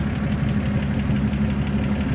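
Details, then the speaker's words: 1954 Chevrolet 3600 pickup, 235 inline six (first year, 1954), idling with the hood open at the engine bay: a low, even, steady idle with no knocks or misses. A smooth runner. "There you go, inline 6, 235. Again, first year of it in the 1954. As you can hear, smooth runner."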